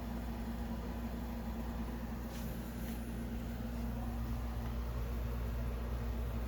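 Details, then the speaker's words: Amana Cool Zone 5,000 BTU window AC on high, with the compressor running, heard from inside: a very quiet, steady hum with no rattles; owner suspects the refrigerant charge is not full, and it cools one side first; normal running. "can't even hear that thing running that thing is so quiet that thing's quieter than most 5,000 BT is made today"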